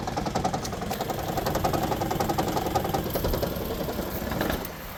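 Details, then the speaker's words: Toyota Highlander Hybrid in for inspection with check engine light on: engine stumbles with ragged irregular pulses, every cylinder misfiring; multi-cylinder misfire. "We got check engine light on. Well, every cylinder is misfiring."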